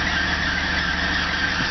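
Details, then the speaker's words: 1984 Oldsmobile Cutlass Ciera convertible whose engine has burned crankshaft and rod bearings: a steady high squeal from the loose alternator belt slipping. The alternator was unplugged to unload it, and tightening the belt reduced the squeal. "like the belt's loose. Take the load off by unplugging the alternator so the belt won't burn up."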